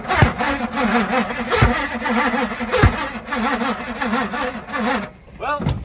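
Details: 1978 Pontiac Firebird with a 305 V8, abandoned since 1989; the engine is primed with gas poured down the carburetor and the fuel line is off the dirty tank. Uneven starter churn with an occasional cough, but it never catches.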